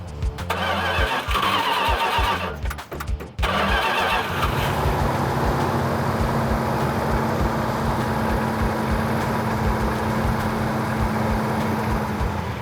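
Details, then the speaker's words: 1970 Plymouth Cuda 340 V8, automatic, breaking in: it cranks, catches and holds a fast, steady high idle while warming to operating temperature, with an even note and no ticking. The suspected vacuum leak now seems fixed. "It sounds like it's running a whole lot better. Sounds like we might have got rid of our vacuum leak, so we're just gonna run it up to operating temperature, about 2,000 RPM."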